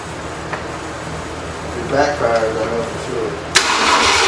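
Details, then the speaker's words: Long-abandoned 1968 Ford LTD first start attempt, fuel pump hooked up, oil changed: steady cranking about four turns per second, then sharp spit back through the carburetor; owner suspects ignition timing off or stuck valve. "it's not firing kind of spit but it's kind of spit back through the carburetor like like timing s back in I got the fuel pump on here so something's not right act like it wants to start but it won't go ahead and kick off"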